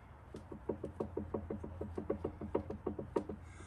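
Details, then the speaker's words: 2016 Segway X2 after replacing couplings, torqued to 29.5 lb: quick hollow knocks about three a second as it is rocked back and forth by hand; owner thinks unrelated to couplings, unsure. "although i was a little concerned because when i move this back and forth i kind of hear a knocking noise here"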